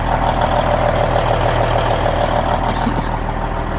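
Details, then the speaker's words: 1999 Kenworth W900L with a mechanical N14 Cummins diesel after a cold start: a steady, even idle with a smooth low clatter of about 200 beats a minute and no misses or knocks; normal idle. "oh she's good she sounds good look at that and 14"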